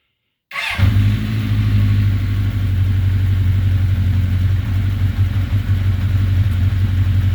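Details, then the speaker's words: Rebuilt 1981 Honda CB900C motorcycle engine in break-in, back together after restoration (carbs wanted to run on choke): starts right away, smooth steady idle with deep low burble, no knocks or ticks; normal running. "Still doing good. I'll just crank it up for a second because, like I say, there's not much sense to keep running it."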